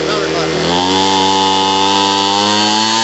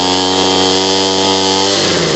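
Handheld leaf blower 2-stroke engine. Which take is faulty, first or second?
second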